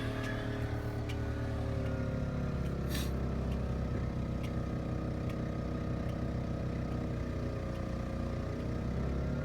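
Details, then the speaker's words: 3700 W RV generator starting a Coleman Mach 15 15,000 BTU air conditioner with a Supco SPP6 hard start capacitor, owner unsure whether the capacitor helps or hurts: steady drone sags and recovers as fan and compressor load hit; generator straining and later needs restarting. "so I turn the AC back on and um as soon as we hear the fan come on and the generator ramp up I'm going to show you guys the voltage here"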